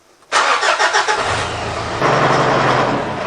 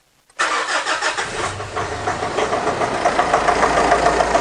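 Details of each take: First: Mitsubishi Triton 2.5 L 4D56 diesel, in for intermittent overheating, cold start after glow plug wait with cooling system holding about 19 psi: brief cranking, then a steady even idle clatter, no big white smoke cloud as before; normal diesel start. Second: Mitsubishi Triton 4D56 with intermittent overheating, first start of the morning with a coolant pressure tester fitted, white exhaust smoke: brief crank, then uneven, lumpy rough running from a failed EGR cooler leaking coolant.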